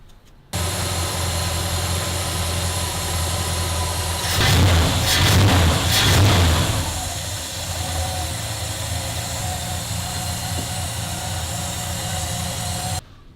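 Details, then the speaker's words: Dodge Monaco V8 after new plugs, distributor cap, rotor and leads, ignition timing set by turning the distributor and idle lowered: after a throttle blip it settles into an even, steady idle with no hunting; timing maybe a touch late. "can hear the engine smooth out it's not hunting"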